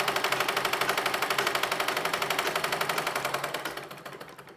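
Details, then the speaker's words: Treadle (foot-pedal) sewing machine running after full service: upper part opened and cleaned, thread and fabric lint removed, oiled, belt refitted; previously heavy and loud, now crisp even clatter about four stitches a second, easing as treadle slows, light with no drag. "और ये कितनी fast चल रही है, क्योंकि इसकी हमने पूरी सफाई कर दी है और जितना भी इसके अंदर धागा वगैरह था, रोए थे फैब्रिक के, वो सब हमने निकाल दिए हैं।"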